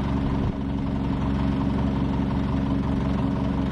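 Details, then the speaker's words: PTAC unit on heat, 76 setting, before repair: a loud, uneven rattle rides over a steady low hum, throbbing roughly three times a second; cracked, out-of-balance fan blade, possibly chipped, to be replaced. "We're just going to replace that fan. It's out of balance somehow. Maybe a chip came off of it, whatever."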